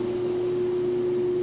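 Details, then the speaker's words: Modine hydronic unit heater fan on a variable speed fan controller, turned down to reduced speed: a smooth, steady hum at one constant pitch with no rattles, scraping or wobble, running normally. "This is a variable speed fan controller. Maybe now you can hear me. That's a variable speed fan controller. It allows me to adjust the speed."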